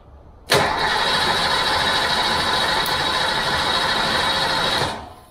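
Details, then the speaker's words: 1988 Fox-body Mustang being revived with a new fuel system, coil wire just connected, having never built oil pressure: a steady, fast starter churn for about four seconds with no catch or firing; engine cranks but does not start. "you ready to just or it doesn't work yeah true do we just keep cranking it till it burns the starter up or just find out all"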